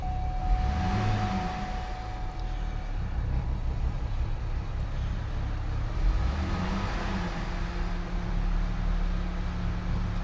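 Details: Chevy 3.6 V6 that threw many codes (timing chain, cam sensor) from a damaged throttle body, started: low, steady hum with even, unbroken idle, no stumbles or misses; runs smoothly.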